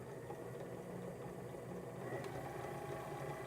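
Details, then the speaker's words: Sewing machine servo motor on a Sailrite Worker B 100-230V power pack, run from a Duracell 3000-watt high-quality modified sine wave inverter. A quiet, even hum with no buzzing or surging; smooth normal running, probably the best of those tested. "this one probably works the best of any of them that we've uh tested so very good quality modified sinewave inverter that's running it very smoothly very nicely"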